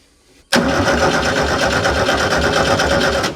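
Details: VW engine, believed to be 1200cc, on a Bedford fire truck's rear pump, 86 hours from new and unused for 20+ years: it catches abruptly and runs about three seconds with an even, rapid beat. One cylinder may be slightly weaker, but it runs fine.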